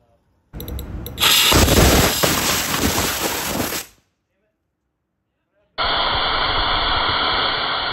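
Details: Rocket engine test: loud roaring burn cut short by a sharp pop and sudden silence as the oxygen hose blows off, then a second burn with a steady hiss.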